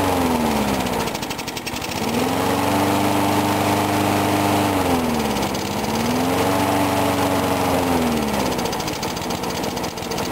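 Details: Briggs & Stratton single-cylinder mower engine cold-started at 35°F after long sitting, water suspected in the gas, tank refilled; started first pull. Steady buzz with gentle governor swings in pitch, clean and even; normal running.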